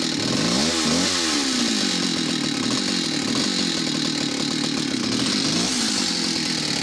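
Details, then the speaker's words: Stihl 041AV West German chainsaw: revs up crisply, then the idle turns heavy and bogs after each blip as if over-fuelled; owner suspects an inlet manifold leak, cause unclear. "might be a fast idol and then if you throttle it a couple of times the the idling will get heavier and bogged down as if she's over fueled all of a sudden"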